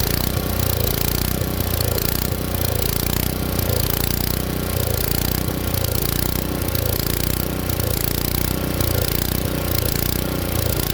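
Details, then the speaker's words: Tecumseh engine swapped onto an Ariens Jet rototiller, at full throttle with choke off; speed surges and falls about once a second, hunting because the main jet runs lean. "buretor hunts like that it's usually because it's not getting enough gas flow so what I'm going to do now now is I'm going to start it up show you how it hunts"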